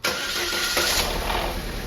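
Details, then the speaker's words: 2012 Holden Barina Ecotec 1.4L after intake VVT solenoid replacement: brief crank, immediate catch into smooth even idle; earlier misfire issues gone. "all of those mfire issues are completely gone now it's running really smooth"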